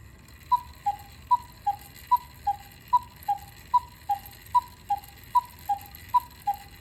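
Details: Antique miniature cuckoo clock, possibly 1940s–50s, brass-plated movement, being restored; crisp even tick-tock about seventy-five beats a minute with steady alternating pitch, in beat. Normal ticking.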